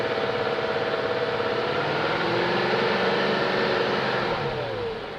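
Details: 2001 BMW E38 740i revving up and settling after Vanos rebuild, Vanos distributors and intake cam-end gaskets replaced: light quick tick riding over the engine; lifters checked, spark plugs tight, no codes, top-end tick of unknown cause.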